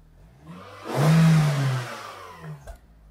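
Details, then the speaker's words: Vauxhall Tigra 1.8 after fitting a new exhaust system, first start: one clean rev rising and falling smoothly, very quiet, with no puffing or ticking from the joints; exhaust sealed and healthy. "on yeah no noise whatsoever oh well doesn't matter if I wanted b stand noisy I could put some noisy can on there but um a good exhaust is more important than a noisy can"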